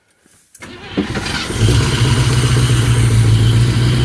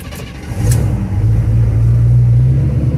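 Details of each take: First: 1974 Chevrolet 3/4-ton pickup, sat for years with tank gas from 2012: cranks briefly, catches and idles steadily about four beats a second only on fuel poured into the carburetor bowl, running until it runs out. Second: 1974 Chevrolet Custom Deluxe 3/4-ton pickup, sat for years, running on a pint of chainsaw gas fed by hose: catches and settles into a strong, steady low rumble without misses or knocks; runs great.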